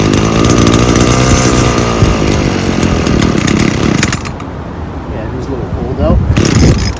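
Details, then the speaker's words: Small two-stroke trimmer engine after disassembling and cleaning its carburetor: crisp revving with good throttle response and no bogging, then settles to an even idle; running healthy, no adjustment needed. "as you can hear it's got good throttle response it's not bogging either so no need to do any adjustments so I think we're good"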